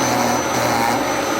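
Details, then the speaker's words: Dyson DC07/DC14 vacuum with new brush roll clutch: steady motor roar with even grinding rasp as the stalled brush makes the clutch disengage and slip; normal clutch operation. "That's a clutch of actually working. That grinding noise is the mechanism there When when the when the clutch gets stuck on something, it disengages. And that's what that grinding noise is."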